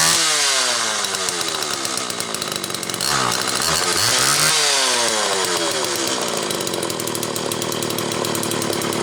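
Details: Homelite XL Automatic chainsaw after repair (new bar stud; a fuel fault had made it run only on full choke), half warm on a cold morning, started in about 6 pulls: crisp buzz climbing and dropping cleanly with each blip, no bogging, high speed tuned close enough. Runs normally.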